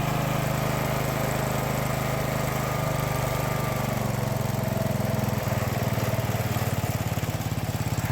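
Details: 30-year-old John Deere 165 Hydro lawn tractor after fitting a Cub Cadet muffler in place of the stock one, run to get hot and burn off paint: single-cylinder engine chugging steadily, no misfires, exhaust rasp or leaks; normal running.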